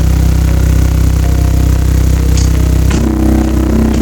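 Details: Subwoofer box played with low test tones of about 29–35 Hz: a deep steady bass tone with a buzzy rattle riding on it, something in the box vibrating loose. Owner suspects a loose panel near the port and plans to add screws; not confirmed.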